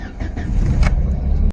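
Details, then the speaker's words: Car with no-start traced to fuel pump, pump revived by tapping and now humming at key-on: short crank that catches straight away into a low steady rumble; normal start confirming fuel pump fault. "the engine starts immediately. At this point, you can replace the fuel pump with complete confidence because you've confirmed the exact cause of the problem instead of replacing parts by guesswork."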